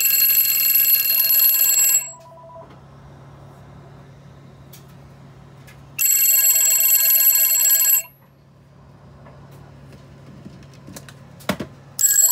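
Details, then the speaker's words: Western Electric 500DM telephone with one bell removed from the 54AA ringer: two-second bursts of rapid thin, one-toned ringing with quiet gaps between; ringer with a single bell. "i don't know if you can hear that better now okay so that's what it sounds like with this bell off"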